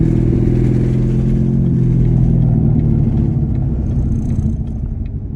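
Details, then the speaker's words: C7 Corvette driven slowly on road, suspected transmission problem: low, uneven rumble under light throttle fading as the car slows; hesitation and rough running that earlier nearly stalled the car when accelerating, cause not pinned down. "because when I tried that earlier when I first discovered the issue going on that like literally started shaking so bad and it was about to almost shut off"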